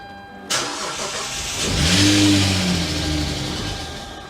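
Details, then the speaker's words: Wrecked car rebuilt at home after a new belt and belt tensioner were fitted: it takes a couple of tries, then settles into a coarse, tractor-like drone at idle. The rough running is because there is almost no oil in the engine. "But if you're wondering why this thing sounds like a tractor, well, it's kind of a funny story actually. There's no oil in the engine."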